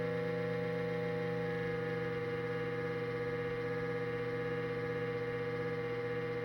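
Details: Cuisinart digital air fryer toaster oven on cold start: loud, steady motor hum with fixed tones for about 45 seconds, stopping once warmed up; noisy fan motor.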